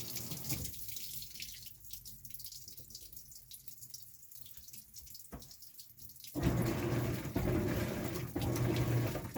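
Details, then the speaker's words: Maytag Bravos high-efficiency top-load washer on Normal wash with two towels, after the worn basket driven hub was repaired: a quiet hum, then a strong steady rush of water from about six seconds. Normal water fill. "i just got two towels on there so we'll just uh let it fill up and you'll see everything's fine"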